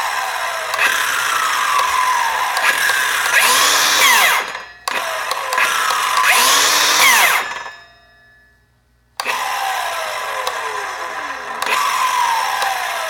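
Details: Milwaukee Fuel 7 1/4" cordless circular saw after several cuts in 2x4 lumber: spins up and cuts, pitch sags as the blade loads, then the motor abruptly cuts out; stalls under load and won't start properly, regardless of battery or charge.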